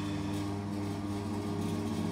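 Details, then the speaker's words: Homemade axial flux generator driven by a 3/4 HP 240 V 50 Hz 1400 RPM motor through 60/80 mm pulleys. A steady droning hum with a rough shaking undertone: rotor imbalance, mostly from one magnet plate. "did a load test with it on but it's totally unbalanced most of it's coming from this plate here with the magnet"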